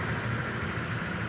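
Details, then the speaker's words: Honda Vario 125 (second-generation ISS facelift) after CVT service that fixed an earlier rough noise; V-belt set reportedly replaced two months before. Smooth, even CVT hum with no rattles or squeals, a normal CVT. "Coba kita dengarkan dulu di bagian CVT nya ya Nah ini suaranya sudah halus ya layaknya seperti pernah"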